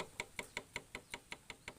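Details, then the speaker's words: Suzuki Smash engine disassembled, crank and connecting rod rocked by hand: crisp metallic clicks about five a second from worn big-end with excessive play; clutch lining, sprocket worn and cylinder at max oversize. "Dan ini udah cukup oblak. Nah, inilah udah bunyi kali. Kita putar pun juga udah sangat terasa suara mesinnya."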